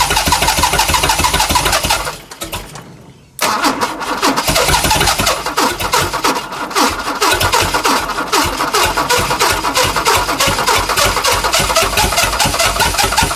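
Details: Chrysler Valiant Hemi 265 six with rebuilt starter, fuel pump fitted, ignition bypassed with owner's own starter switch; steady rapid cranking about three turns a second, one short pause, never catches: cranks, won't start.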